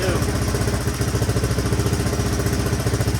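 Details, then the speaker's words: 1983 Honda XR200R, sitting for years, first kick-start and idle: even single-cylinder thump, no cam chain flopping or valve clatter. Quiet, healthy; slight smoke thought to be oil added through the spark plug hole. "Not hearing the cam chain flopping around or valve."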